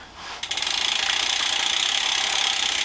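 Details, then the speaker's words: Planet X E130 used bike, rear wheel spun both directions: fast, even freewheel ticking at a steady rate with no grinding, which would point to a freehub bearing; runs smooth and healthy. "does it run smooth so it's running nicely that way and that way"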